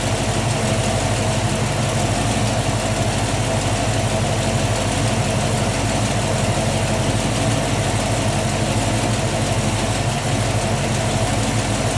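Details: 1967 Ford Mustang 347 V8 idling after a new battery, cables and alternator, run with UV dye in the oil to trace a leak at the bell housing: even, steady smooth low rumble, no knocks or ticks; normal idle.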